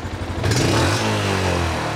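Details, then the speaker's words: 2013 Yamaha Jupiter MX, before tuning work: revved hard from standstill, note climbs then briefly flattens and stumbles before picking up; hesitation at full throttle, engine to be disassembled. "Ada jeda ya sahabat milenial, dengarkan lagi ya. Ada jeda."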